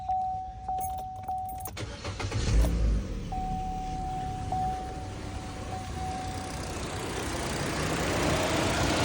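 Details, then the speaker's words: Chevy Cruze, AC off due to high temperature, sensor reading minus 40: steady rushing roar over a brief chime as radiator fans run full blast; suspected bad coolant sensor, ambient temperature sensor also to check. "what you're going to see is going to say the AC is completely off and the fans are going to be blaring full blast"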